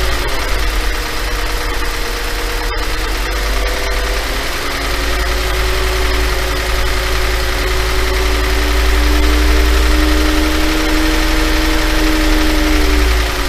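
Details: 5.2 FSI engine: deep steady idle rising slightly with a light metallic clatter over it; owner asks if normal, suspects piston slap, unconfirmed.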